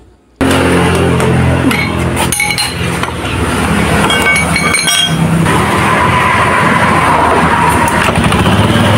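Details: Honda Beat FI K44 scooter, tested with the CVT cover off just after the noisy roller housing and worn rollers were replaced: steady even whir from the open belt drive with no rattle, knock or grinding; normal CVT operation after repair.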